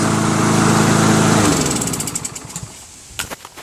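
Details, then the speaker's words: Lawnmower after a repair: small engine catches and holds an even, rapid putter for a second or so before shutting down; normal running. "Starts now. See? Just a little bit of ingenuity."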